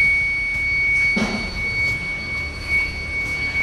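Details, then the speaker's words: TVS iQube electric scooter, nearly two years old, plugged in to charge: thin steady high electronic warning tone in a quiet room; after half an hour battery still at 0%, not charging; scooter to be towed to service center. "ಚಾರ್ಜ್ಗೆ ಹಾಕಿದೀನಿ ಚಾರ್ಜ್ಗೆ ಹಾಕಿದ್ರುನು ಇದೇ ಸೌಂಡೇ ಬರ್ತಾ ಇದೆ ರಾತ್ರಿ ಎಲ್ಲ ಜನ ಹೆಂಗೆ ಮಲ್ಕೊಬೇಕು ಇಲ್ಲಿ ನೋಡಿ ಸೇಮ್ ಸೌಂಡ್"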